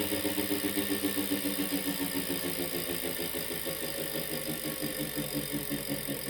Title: Wahoo kickr core - weird noise 2